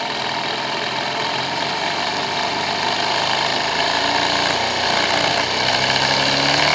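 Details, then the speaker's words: Single-acting twin-cylinder high-speed live-steam engine built by a friend, on about 3.5–4 bar steam and being opened up: fast, busy chuffing of about four beats a second, climbing and even, with modest but significant torque. Normal running. "Écoutez le bruit plutôt que regardez les images. Mais vous entendez que ça bouge vite. Nous avons bien sûr déjà un couple, pas important mais déjà significatif."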